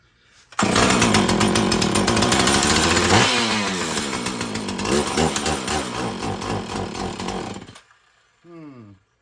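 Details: Filthy Husqvarna 445 chainsaw before repair, just drop-started after six primer pumps: screams, then sags and sputters unevenly with throttle held, bogging down; mechanic suspects the carburetor needs cleaning and adjusting, possibly a stiff diaphragm; not confirmed.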